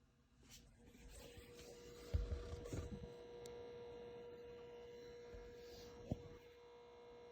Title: Tesla Model Y horrible Buzzing noise coming from center speaker.